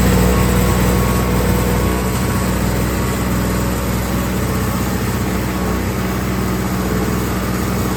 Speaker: Whew, 2 strokes. But awesome, it's running.